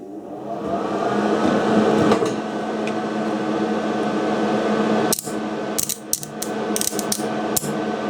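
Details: Small gasless MIG welder with a dead contactor, wire feed motor spinning up to a steady, even hum, then sharp clicks and clunks from handling the gun.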